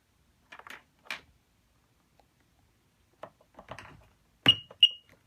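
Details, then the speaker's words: 1997 Sea-Doo jet ski after replacing a non-working buzzer with a Radioshack 273-068 beeper: two short, sharp high-pitched beeps when the DESS key is placed on the post, confirming the key normally. "so let's go ahead and get my keys in and see if it beeps success so now I get my beeps"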